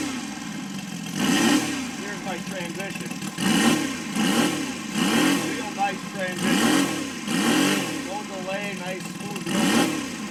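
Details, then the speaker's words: Saito FG60 R3 radial engine after break-in and leaning per manual: note rises and falls cleanly between idle and full throttle with instant pickup, no stumble; running right. "and then here's Full Throttle nice there's your idle this thing Idol yeah ridiculous listen to that thing it's perfect"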